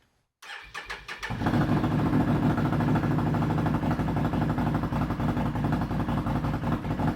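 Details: Can-Am started after rebuilding the fuel sending unit to cure low fuel pressure, pressure reading about 50-60: a few quick cranking chuffs, then catches and settles into an even, steady idle without stumbling; starts and runs fine.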